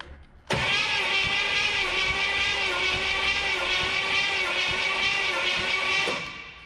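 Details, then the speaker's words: 1970 Pontiac LeMans Sport 350 V8, previously stuck engine, compression test cranking on cylinder two: starter whirs steadily with faint uneven beats, zero compression, one of the two stuck cylinders. "and uh nothing on number two who would have guessed the two stuck cylinders"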